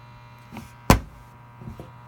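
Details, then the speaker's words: Desktop computer: steady low hum with a faint whirring tone, apparently from the back or top; unsure whether fans or pump; the computer also turns itself on randomly. "be this thing here it's hard to tell where the noise is coming from so what makes this noise is that the fans or the pump"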